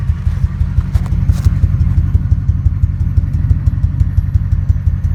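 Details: Ford 5.4 2V truck with a three-month intermittent problem and no codes; bank 2 cylinder coil pack replaced and injector cleaner run; a low, lumpy idle pulsing unevenly about three beats a second with occasional stumbles, shaking especially in drive, intermittent misfire.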